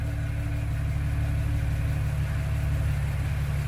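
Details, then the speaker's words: Jeep TJ with NSG370 transmission, newly installed rebuilt engine after cam break-in: steady even low idle rumble with no vibration and no whir or grinding from the previously noisy transmission underneath; gearbox quiet and healthy. "This thing is not vibrating one little bit. It is like I've never been this smooth ever."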